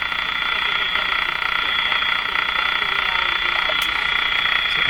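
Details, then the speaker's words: Electrohome Cosmic tube radio during speaker distortion testing: a steady buzzy tone with a fast pulsing flutter that sounds like engine noise, with varying level and click speed, but is electrical interference of unknown origin often heard in the shop. "noise sounds like engine noise of course i don't think it's engine noise but certainly sounds like it um what causes that particular sound which i hear in my shop all the time i have no idea"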